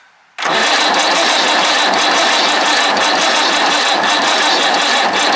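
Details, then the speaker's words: Perkins 6/354 diesel in a White Super Power truck, not run for many years: steady rough cranking with uneven pulses, never catching; no start, smoke from exhaust and underneath, no ether used yet. "unless we help her with a bit of ether but I don't like using that I like seeing how they go first"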